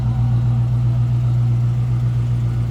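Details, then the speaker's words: 1967 Ford Mustang coupe with a 302 V8, automatic and self-learning EFI: smooth, even idle burble with a steady low beat and no misses or tapping. Healthy idle with good throttle response. "Good sounding car. Idles nicely and very good throttle response."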